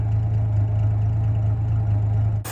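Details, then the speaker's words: 1949 Studebaker Champion flathead six, warm with radiator warm and temperature gauge mid-scale, at a very low idle after idle adjustment: low even idle with steady beat, no misses or knocks, all six cylinders firing; oil pressure low at idle. "We've still got six happy cylinders. The radiator's warm, so we're circulating coolant. Everything's seeming great."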